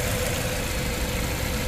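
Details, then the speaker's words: Petrol engine idling with an uneven, stumbling low thump and heavy shaking after injectors 2 and 3 were serviced for cylinder 2 misfire and bank 1 lean codes; check engine now off but still misfiring; compression test passed. "Wala siyang check engine pero palyado pa rin"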